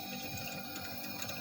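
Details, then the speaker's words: Single-door refrigerator, compressor running at 0.46 A but not cooling, heard at the freezer evaporator: watery gurgling and bubbling instead of a breathing hiss; refrigerant leak has left the system low. "Ini emang berarti bocor nih teman-teman, karena bunyi kerucuk-kerucuk."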